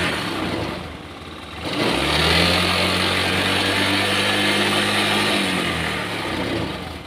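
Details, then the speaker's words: Honda Scoopy scooter left unused for months with no ignition; now starts after a second and settles into steady, even idle with smooth low hum; owner suspects a remaining short near turn-signal wiring; running normally. "oke Guys ternyata menyala ya motornya ya cuman permasalahnya sepele ya"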